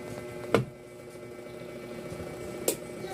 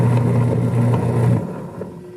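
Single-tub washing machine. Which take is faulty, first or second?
second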